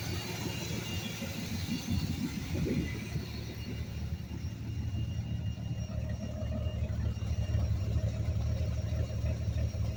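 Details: 1982 Ford F150, 300 engine, automatic: low, uneven rough idle with a faint steady whistle from a large vacuum leak around the Quadrajet carburetor.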